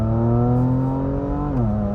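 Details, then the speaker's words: Salvage 2018 Porsche Macan GTS with 7-speed transmission, driving under hard acceleration, not to redline: strong engine note then sharp pitch drop with a pop at a clean, quick upshift; long gears, shifts sound good. "I like this sound it makes when it shifts. It sounds awesome. It kind of pops, right?"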